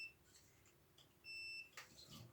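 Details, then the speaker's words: Multimeter continuity tester on a DIY 5.5 kWh 40 VDC powerwall battery pack, probing from a wire to a terminal: a single steady high beep of about a third of a second confirms a good connection. "Then you just have to listen for the beep, and that will tell you that it's all connected."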